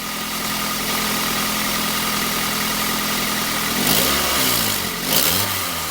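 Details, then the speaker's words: 1998 Chevrolet Prizm / Toyota Corolla petrol engine idling with a fast, sharp puffing tick from a leaking exhaust manifold at the tube collector, where a previous repair attempt was made; manifold to be replaced. "you can see that somebody already tried to repair that that's where our exhaust leak is you can probably even hear"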